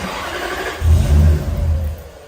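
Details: Toyota Soarer / Lexus SC400 1UZ-FE, 1994 vs 1995 ECU and wiring differences, won't idle without throttle. Engine fires with a brief uneven surge, holds about a second, then dies: stall after start.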